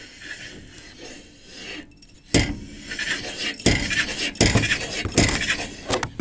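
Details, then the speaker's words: Slavuta gearbox: quiet scraping, then a few sharp irregular clunks about a second apart as the wheel is turned by hand in either direction; the whole gearbox visibly lifts and moves just before each knock. "видео не сильно видно но перед тем как стукнуть коробка аж чуть-чуть приподнимается об пошла вверх лбу стук"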